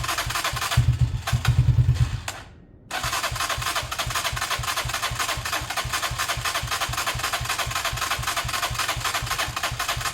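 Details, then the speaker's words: A beaten-up Lexmoto motorcycle with many parts missing cranks with a steady starter churn and regular compression pulses but never fires. The choke is off, the engine is possibly warm from the sun, and fuel is dripping. The carb is suspected, not confirmed. "um that sounded fine to me it sounded like an engine that was going to run"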